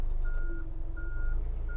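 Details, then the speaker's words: Forklift during inspection, idling with brake held and put in reverse: steady interrupted beep, about one long tone every 0.7 seconds over low idling engine; reverse alarm working normally. "i hear the beeping sound so that means my reverse alarm is working"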